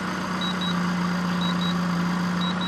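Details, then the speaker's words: Sinergex Pure Sine 2000 Series 2 inverter under repair after its bank of 1500 µF 25 V capacitors had blown; steady electrical hum with paired shrill beeps about once a second as it starts a Hoover and then trips its overload alarm. "I think is it will make the Hoover fire up but then it detects this over vaulting that's one other noise"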